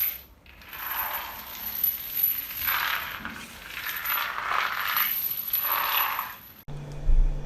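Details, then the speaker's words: Hospital storage-room floor tiles tested before overcoating by dragging a chain: sweeps over tiles, some areas dull and solid, others ringing hollow and papery despite looking sealed; drummy tiles, possibly tile glue used to set falls. "there's areas that sound solid and then there's areas that even though they actually look sealed as other tiles are intact you can hear that it's hollow"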